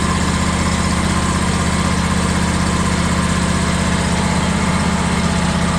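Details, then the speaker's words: John Deere X350 mower, run on a little choke with an electric fuel pump in line, has a steady single-cylinder idle thump with a slight rise and fall in speed. The owner is convinced the pulse fuel pump is fine and suspects a fuel line obstruction. "Okay, it's got a little bit of surge into it. The only thing I know to do, I'm convinced that the fuel pump is not the issue."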